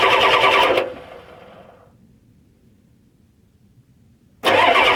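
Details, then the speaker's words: 1993 Ford 7.3 IDI diesel with a turbo kit, at about 55°F, ran fine the day before: the starter churns in bursts with pauses and never catches. It has fuel and puffs white smoke while cranking; a no-start of unknown cause. "just doesn't want to turn over I don't know what it is everything where it worked perfectly fine yesterday started right up yesterday didn't have a problem with it"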